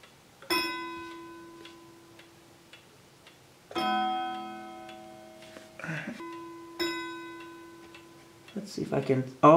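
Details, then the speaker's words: Howard Miller 61318 key-wound Kieninger Westminster chime clock under repair: each chime strike rings with a second clashing tone, a doubled, muddy note, because two chime rods are touching each other. "there's the issue right there there it is take a look we've got two that are two chimes that are touching each other"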